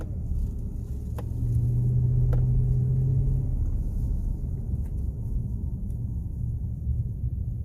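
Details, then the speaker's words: 2018 Chevy Silverado on a test drive after the brake control module recall, windows up, warm after about 10 miles: low steady road rumble while slowing, with no grinding, squeal or pulsing; braking sounds clean. "again no sound and again no pulsating whatsoever you can take out on the highway a little bit"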